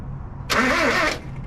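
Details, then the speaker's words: 1976 Ford Courier mini truck, engine sat for an unknown time and primed with 50:1 premix fuel, cranked out of gear. A brief burst of cranking doesn't catch, a crank-no-start; owner suspects no spark, and smoke later appears near the thermostat. "try it again we might not be getting sparked"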